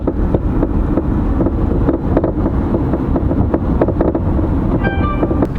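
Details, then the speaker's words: 2008 Chevy Malibu driving over bumps: sharp repeated clunks from front suspension, mainly left front; worn, destroyed strut mount (top hat) rubber letting strut knock; fixed by replacing both front complete shock assemblies. "the noise is mainly coming from the left French that's where you hear it and feel it the most"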